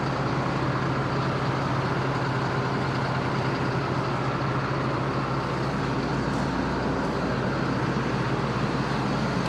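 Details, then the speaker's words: John Deere 9500 combine diesel, fuel system just refilled and primed after a fuel gauge sensor leak, fires right up into a steady, even low rumble with no misses, knocks or hunting; healthy idle. "Fire right up. It's like a John Deere does most of the time. Anyway, making sure we ain't got no leaks."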